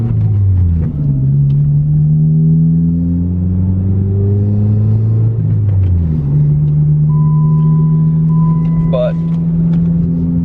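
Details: Girlfriend's car with straight-piped exhaust, muffler removed: loud, raw, raspy exhaust note rising and falling with each rev, no muffling, sounds terrible outside. Straight-piped exhaust.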